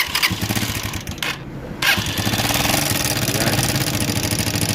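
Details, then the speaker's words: Motorcycle engine running with oil not reaching the cylinder head: fast, busy ticking clatter from the top end; oil starvation caused by crankcase passages clogged with excess silicone sealant. "Kaya titingnan natin kung anong dahilan kung bakit hindi umakyat yung oil sa taas mga idol."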